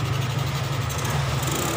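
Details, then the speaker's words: 2003 Suzuki Smash 110 after repair, battery removed: pulls up smoothly with steady even note, no stutter or misfire; charging system fixed and normal. "Itu tandanya sistem pengisiannya beres, normal."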